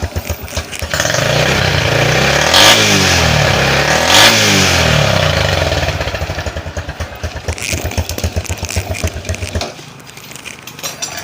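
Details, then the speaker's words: Honda Blade 110 single-cylinder after replacing bent valves (caused by a loose cam chain, compression lost): starts crisply and revs smoothly twice, even firing, no misses or clatter; running normally again. "Teman-teman dengarkan suaranya, ini masih sangat mulus ya. Ini teman-teman dengarkan. Jadi motornya ini sudah normal kembali ya teman-teman."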